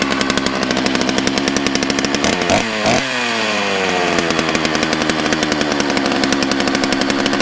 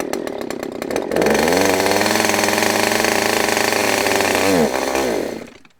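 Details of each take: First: Used chainsaw that had been given away, started on fresh gas after a squirt of prime: catches after a couple of sputters, blips up and settles into a steady, even buzz with clean throttle response; runs fine. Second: Used Husqvarna chainsaw said to need carb work, started on choke: few pull-start rattles, then fires and holds high, slightly wavering buzz with uneven revs; running a bit rough, possibly needs tune, not confirmed.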